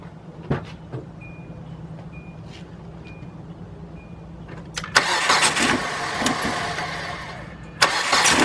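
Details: 2002 Kia Optima with P0102 MAF circuit low code that stalled in drive; after replacing a dry-rotted vacuum line, chime pings, engine cranks, catches straight away and settles into a steady idle that holds by itself.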